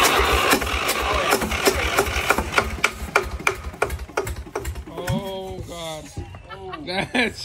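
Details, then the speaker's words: Free used diesel engine, suspected stuck rings, cranking on ether with no fuel yet coming from the injectors: turns over at about three compression beats a second without firing; cranking no-start. "we ain't got no fuel com out of the injectors yet though so that's a problem"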